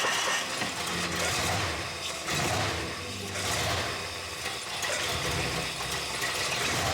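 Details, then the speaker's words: 1964 Mercury Montclair, Ford FE 390 V8 with cam and intake kit, timing adjusted and coolant added, first run since the 1980s: steady, even idle with a gentle lope and no knocks, misses or rattles; healthy idle. "Pretty awesome to hear this thing running for the first time since probably the 80s, so pretty neat to get this thing back up and running."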